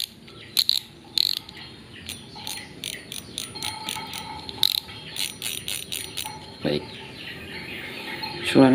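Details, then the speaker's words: Spinning reel after a no-new-parts modification to make the drag louder: crisp, loud ratcheting clicks in quick bursts as line pulls out; owner finds it fairly loud, drag clicker working properly. "suaranya sudah lumayan kencang menurut saya."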